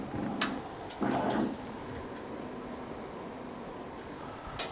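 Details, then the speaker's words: CO2 laser's noisy original 110 V cooling fan replaced with a Noctua NF-A9 5 V fan powered from the laser power supply's 5 V output: a faint, even hiss with no rattle or buzz apart from a couple of light knocks; the new fan runs smoothly. "So now we're going to fire it up. Make sure she turns on. There we go. It's running."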